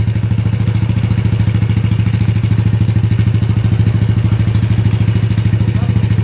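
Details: Yamaha Jupiter Z single-cylinder engine after cylinder block and head installation: firm, even thump at about three beats a second, no clatter or misses; smooth healthy idle, oil circulating; normal idle.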